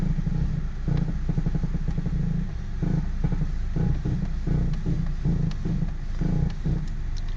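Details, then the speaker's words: Audi A4 parked at idle, steering wheel rocked slightly: low dull knocks about once a second, heard from the footwell; steering clunk of unknown origin. "okay here's the noise i was talking about guys i'm shaking the steering wheel wobbling it slightly"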